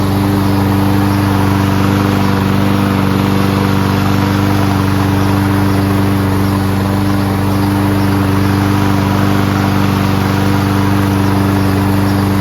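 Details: Toro Recycler Personal Pace mower with Chinese Loncin engine, started on first pull with choke manually closed after self-propulsion repair: steady, even drone at constant speed, no misses, knocks or surging, no smoke despite being on its side; running smoothly.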